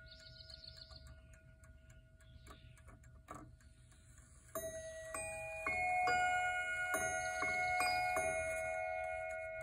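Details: 1928–1932 Gustav Becker miniature "Mignon" three-train spring Westminster chime mantel clock with very short chime rods: bright, bell-like chime notes with a buzzy rebound as the hammers bounce on the rods, chatter that has proven nearly impossible to adjust out.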